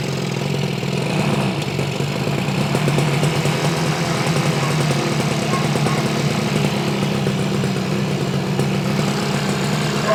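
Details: 1968 Yamaha YAS1C 125 two-stroke twin, carburetors cleaned, air cleaners off, choked: uneven stumbling idle with dropped pulses; right cylinder seems to be misfiring, cleaning helped somewhat but the misfire persists.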